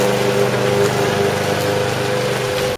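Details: Lawn mower small single-cylinder engine that would not start, now running with a steady, even buzz at constant speed and no surging until cut off, after the air filter was cleaned in fuel.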